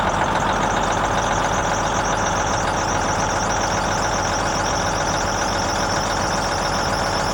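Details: Versatile 2360 tractor with Cummins N14, after replacing the failed number 5 injector: steady, even diesel idle, constant low rumble, no misfire or stumble; normal idle.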